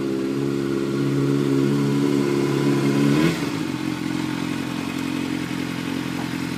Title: Gsxr k3 600 engine knocking